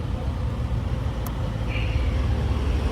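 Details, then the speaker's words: Hyundai Accent four-cylinder after replacing the faulty part, previously misfiring with a rough muscle-car sound; even, low idle hum, no stumbles, no vibration; normal idle. "yan, pino na yung tunog, hindi na parang muscle car."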